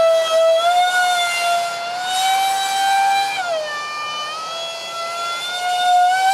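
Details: Su-35 RC jet with twin EDFs, 5-blade rotors, 2600kv motors on 6S, last flight before repair: high, shrill whine with harsh edge following throttle; loose mounts and cheap shaft adapters, later fixed with WeMoTec shafts and epoxied mounts.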